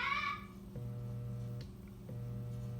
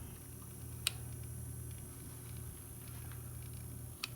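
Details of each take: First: c.1915 GE Star oscillating fan motor on the bench, run through switch and choke coil on a test lead: two power-ups give a steady low hum with no spin-up, won't start; usually indicates worn bearings, to be replaced. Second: c.1915 GE Star oscillating fan motor on bench after repair, switched from high down through all three speeds. Quiet steady low hum with occasional light tick; runs smoothly and evenly.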